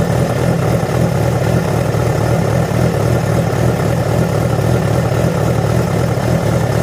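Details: Yamaha FZ6 four-cylinder with a steady, fairly loud low drone and an uneven underlying pulse near two per second; began after riding about 70 km on two cylinders due to a failed ignition coil connector; cause not pinned down.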